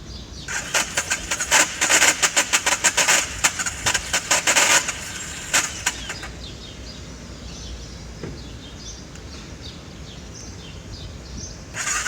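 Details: BMW F650 motorcycle, cold after sitting a couple of hours, cranked with the choke partially on, off, then fully on: the starter spins in uneven bursts for about six seconds without catching. Hard starting.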